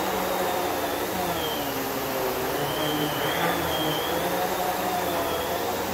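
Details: New Kenmore vacuum on carpet at medium height setting: even, constant rushing hum with a faint wavering motor whine and no rattles or surging; it runs normally.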